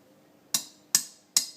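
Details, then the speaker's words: Engine crankcase bearing sweated in after heating cases at 160°C: three light, tinny metal taps with a bright ring when the punch taps the outer race, meaning the bearing is not fully seated; a solid sound means seated. "it's not in. If you hear a very light tinny sound, your bearing is not seated."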